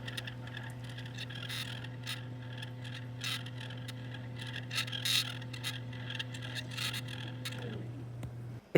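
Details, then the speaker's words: SAL-33 strain wave telescope mount, ear to the mount during first session with poor subs: steady low motor hum with faint rough grinding until the drive stops; grinding, cause unclear. "I couldn't get good subs. And then when I put my ears to the mount, I started hearing this grinding noise."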